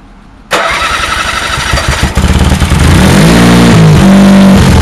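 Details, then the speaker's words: Honda HT3813 garden tractor after carb refit and coolant refill, new muffler replacing leaking old exhaust: cranks briefly, fires and settles into steady even beat about four pulses a second; owner suspects rusty sticking starter; normal start and idle. "but actually sounded pretty good i like that sound with this muffler"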